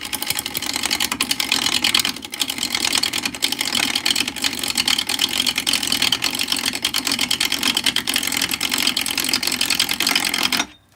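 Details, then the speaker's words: Laguna 12/16 lathe turning an out-of-round wood blank with a bowl gouge: rapid, evenly spaced thumping with hissy cutting as the tool bites then cuts air each turn through a gappy area. Interrupted cut, normal. "right, it's making all that noise because for half of this we're cutting air."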